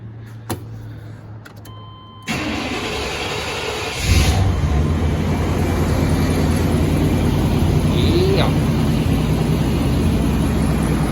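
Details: 1991 Chevy C1500 with new gas tank and fuel pump, after sitting 12 years; no-start was simply out of gas. After refuelling: brief crank, engine catches and settles into a steady, even idle; normal start and idle.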